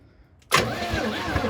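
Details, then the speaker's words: 1985 Oldsmobile Cutlass G-body 307 V8 revival, spark plugs out, engine freed after sitting for years: starter spins the engine evenly and quickly with no grinding; normal cranking, engine turns freely. "yes it spins victory now we get to move on um we know it's free i guess"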